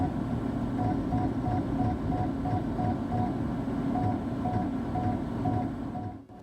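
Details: Floppy drive in a 20-year-old PC during a ddrescue data recovery attempt: rough, uneven grinding chatter with quick clicks about three a second over a steady hum; the drive struggles instead of reading.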